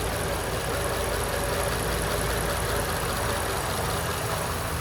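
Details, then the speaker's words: 1935 Ford coupe Flathead V8, mostly original, after fiber timing gear failure after 80 years; engine removed, cam gear pressed on, hand valve job, heads surfaced, resealed. Now idles smooth and even like a sewing machine, no knocks or misses: normal idle. "Sounds like a sewing machine. Yeah, it does."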